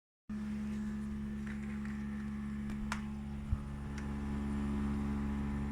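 Loud, steady low drone with a fixed humming pitch and no rhythm change; the unit is noisy, though what's causing it isn't clear.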